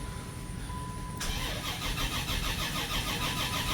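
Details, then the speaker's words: 1984 Dodge Mini Ram van with a 5-speed manual, parked about 25 years. Brisk even cranking, then it fires and runs unevenly. Extended cranking; owner suspects the fuel system lost prime. "That's a good battery, holy shit. Oh, she's gonna go. Prime it. Fuel system must have lost prime."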